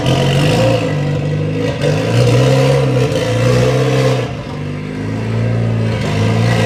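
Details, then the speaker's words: Mitsubishi Lancer EVO X with its stock turbo, cold start on a chilly morning before an ETS turbo kit install; revs rise and fall with a raspy, chuffing edge from a major exhaust leak in the center of the car. "Has a major exhaust leak in the center of the car, but that doesn't really affect us in what we're doing. There's what she sounds like."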